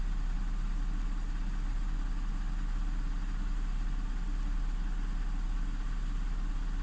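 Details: Audi S4 B8 3.0T supercharged V6, first start after repairing a jumped timing chain (bank 2 P0018 camshaft correlation fault): low, even hum at low idle after high idle, no ticks or knocks, cam adjustments now equal; normal idle.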